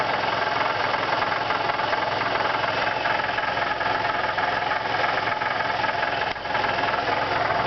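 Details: 2002 Nissan Maxima at idle: loose, somewhat irregular rattle about three times a second under the hood, source unknown; dry compression 180 psi on cylinders 1, 3, 5 and 175 on 2, 4, 6, no oil pressure light, noise grows louder as the engine warms.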